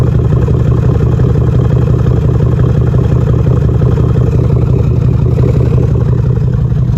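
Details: 2013 Jeep Grand Cherokee, code P0305, idling with smoke, uneven exhaust pulse dropping out about three times a second plus ticking: cylinder 5 (left bank) misfire from a bad camshaft and lifter.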